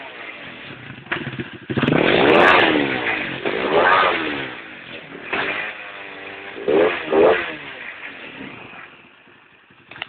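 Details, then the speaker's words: 250cc D7 engine revving cleanly with even firing and no stumble after crimping down a loose clip that had caused misfiring; running normally after repair. "okay so after uh cramping down that little clip she runs like a dream"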